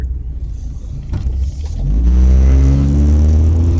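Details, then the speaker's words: Car exhaust leak after hitting road debris: deep, raspy exhaust rumble swelling loud and rough as the car accelerates. "yeah I have a [ __ ] exhaust leak now because of what happened and be honest with you is kind of a funny situation"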